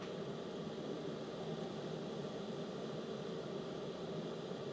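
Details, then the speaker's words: DJI Power 2000 exhaust port while outputting 1,722 W. Smooth steady rush of air with no tonal whine or rattle: normal cooling fan under load. "What you will notice is there's no wine on the DJI. The EcoFlow has this uh wine, but the DJI just sounds like airflow. There's no fan whining to it."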